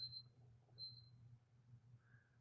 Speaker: You can hear the scanner beeping at me because I'm not keeping my range very good, but that's all right.